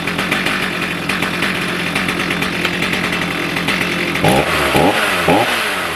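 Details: Stihl MS310 chainsaw after an ignition repair (it used to drop out when hot), idling warm for 10-15 minutes and then throttling up: an even buzz and three clean blips without stumbling; normal running.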